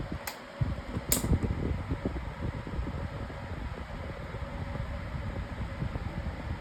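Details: Lasko 18-inch plastic table fan (2026 version) on high speed: an even, smooth whoosh of air with a steady motor hum and no rattles or ticks. Normal healthy running.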